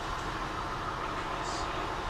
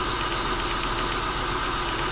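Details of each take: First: A 2000 Acura TL with codes P0300/P0306 and a bad misfire, now fixed by fully seating an ignition coil, idles steadily and evenly with no stumble or shake, running way smoother. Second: 2000 Acura TL V6 at idle with codes P0306 and P0300, flashing check engine light and TCS light, missing badly. The idle is uneven and lumpy with an irregular stumble and faint arcing ticks. Owner suspects a bad coil. Misfire at idle.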